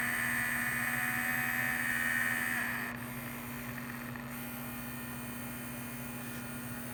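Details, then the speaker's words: Vintage 1978 Shinsei Fire Fox RC car, steering servo with suspected dirty potentiometer: thin high whine, then faint ticking pulse about four per second as it changes direction; servo pulsing intermittently. "okay now i'm pulsing it that's encouraging it's just changing directions now it's hard to tell because it moves so quickly"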